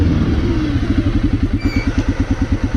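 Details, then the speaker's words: 2006 Arctic Cat 400 ATV after engine rebuild with new pistons, warmed up, in neutral: slow, loping single-cylinder idle at about eight thumps a second, close to stalling; idle speed set too low, turned up to fix. "may have to adjust our idle up a little bit put her in neutral yeah it sounds like we need to adjust our idle up a little bit here"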